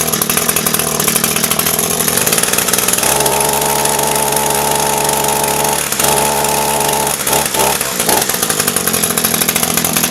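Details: Echo SRM-225 string trimmer, about a thousand commercial hours, with aftermarket knock-off carburetor, just started, not yet heat-tested: high buzzy idle holding without choke or throttle, pitch wandering slightly; normal idle.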